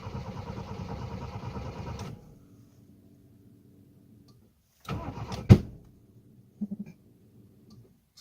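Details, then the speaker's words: Toyota Tercel with a hard start, possibly flooded or low on fuel, and the fuel pump was barely heard. Two seconds of cranking, then a sharp pop and weaker puffs from the front intake, suspected as a backfire. "Ça sonnait. Ben, pour ça, ça sonne dans l'intake, là, parce que l'intake est en avant et le gaz est en arrière, mais compte tenu qu'il est pété direct en avant, ça sonne peut-être comme un backfire."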